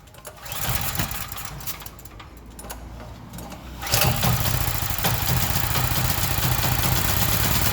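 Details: Gasoline generator that had a no-start problem: scuffing at first, then the small engine catches and settles into a steady, even drone; it runs normally.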